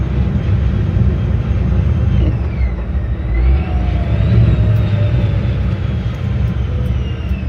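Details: 1956 Ford F-100 with a Powerdyne belt-driven centrifugal supercharger, cruising through town after its failed internal cog drive belt was replaced; clean whistle rising and falling with speed over steady engine rumble; healthy supercharger whine.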